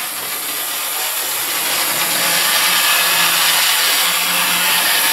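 Steady, even high whirr from the little motor and wheels with no stutter or surging; this loco is running smoothly.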